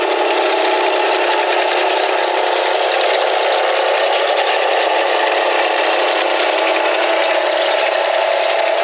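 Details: Small bed edger engine, with blade at depth scraping through soil: steady, even note holding speed under load, no surging or misfire; running smoothly.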